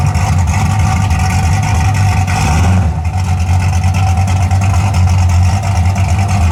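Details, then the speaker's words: 1981 Camaro V8 after top end swap, open headers with no exhaust, timing and carburetor not yet set: deep, steady, even burble with no misses, drops no RPM when put in gear; normal idle. "But I ain't got the exhaust on it, it's still open headers. But so far, sounds pretty good. I ain't set the time on or adjust the carburetor or nothing yet, but it's pretty close."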